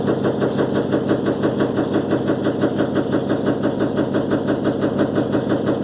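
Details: Electrolux LTE12 washing machine during a suspension test: a fast, very regular rattle of about three per second holds through the spin. Loose or worn drum suspension is suspected, not confirmed.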